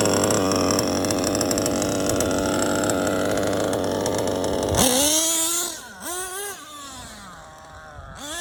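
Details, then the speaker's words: Modded LRP .32 AMR off-road nitro engine during break-in: steady high buzzing idle holding even for several seconds, then quick throttle blips; idle good and stable. "idle is good and stable wow"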